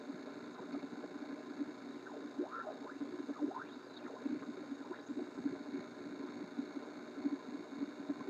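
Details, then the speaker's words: 1968 Ford Mustang Philco AM/FM radio D3AA on the bench with a wire antenna and a signal generator's 1 kHz tone: steady hiss with faint sweeping whistles as it is tuned. Reception is weak, the complaint is fading out, cause not yet found. "darn weak right there now let's go back seemed a little weaker up there"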